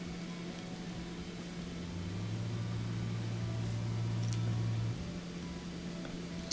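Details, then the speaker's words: Kenmore dishwasher set to drain after checking the pump, door closed: low steady drain motor hum with no cavitation or sound of water moving; water barely drains, suspected blockage jamming the drain pump impeller. "I can kind of hear the motor humming, but you don't hear the cavitation or the sound of water moving around. So I got a feeling something's probably block"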